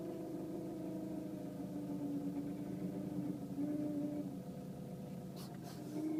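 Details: Renault Megane III 1.5 dCi 106 diesel idling, recorded inside the cabin: thin wavering whine over the idle; not the fuel pump, owner suspects turbo, unconfirmed.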